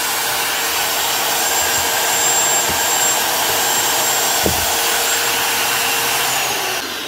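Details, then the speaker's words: Rotabroach magnetic drill after replacing worn, failed needle bearings on the shaft; smooth even high-pitched motor whine with no grinding or rattle, then spin-down, running much better than before. "New bearings. Sounds a lot better."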